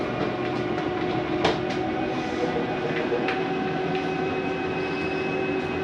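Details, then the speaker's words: Forest River Sabre 360QB travel trailer slide-out retracting: constant motor hum with light rhythmic clicking, no grinding; normal sound of the slide mechanism stopping itself from travelling too far. "it's okay to hear that don't panic nothing is grinding you'll hear that sometimes going in or out it is the slide mechanism keeping itself from going uh in or out too far"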